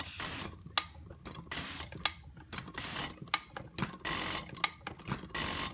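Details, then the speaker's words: Rebuilt 1980s Mercedes-Benz diesel injector (OM602/603/617 type) with new nozzle on a pop tester: sharp hissing spray bursts about once a second, each with crisp chatter; normal, pop-off pressure almost at spec and needing a slightly thinner shim. "you can actually hear a little bit of chatter in the injection other than that pretty much what it's supposed to be"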